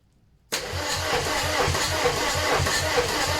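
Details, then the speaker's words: VW AHU TDI engine on the garage floor before camper install, ECU wired up, cranking: starter spins with even compression pulses about three a second but never fires; no fuel reaching the injectors, a solenoid heard clicking. "So let's see, we're not getting any fuel to the injectors, but yeah, I just need a bit more cranking."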